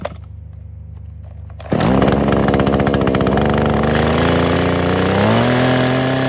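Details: Kawasaki KHT600D hedge clipper two-stroke after new fuel lines, primer bulb, fuel cap, grommet and tune-up, primed with choke on: a few quiet pulls, then catches and runs with a steady buzz, pitch climbing smoothly as it warms; runs fine.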